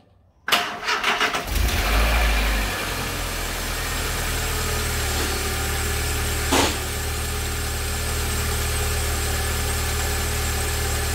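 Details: Volkswagen Gol with AP 1.6 petrol engine starting and idling with a steady thin whine from the front accessory belt area; owner unsure whether it's the belt, tensioner bearings, water pump or alternator; noise worse when engine is cold.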